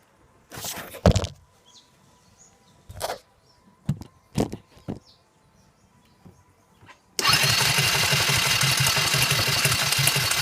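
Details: Kymco 150 scooter cranks steadily with fast, even pulses but never fires; fuel lines, vacuum pump, cleaned carb jets, spark, airflow, adjusted valves, kill switch, fuses and wiring all checked OK, starting fluid tried, cause unknown.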